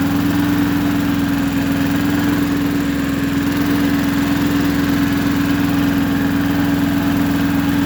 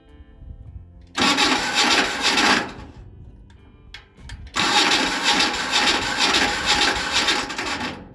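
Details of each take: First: Neighbor's roughly 40-year-old Japanese Hinomoto two-cylinder diesel tractor, test run after years unused, now with a new starter and ignition. Steady, even low chugging with a constant drone and no misses, knocks or hunting: runs real good, a healthy diesel. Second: 40-year-old two-cylinder Hinomoto diesel tractor, first start attempt in years after warming the glow plugs: two harsh grinding bursts of about one and three seconds; the starter is grinding on the plate.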